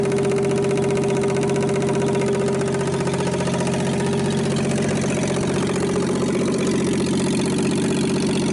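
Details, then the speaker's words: 1960s Rambler 195.6 engine, first start, vacuum lines plugged: rough idle with a deep, steady knock each crank turn; rod knock, sounds like a spun rod bearing. "I don't know how well you can hear the rod knock. It sounds like a spun bearings, what it sounds like, but I don't know how well you can hear it on video."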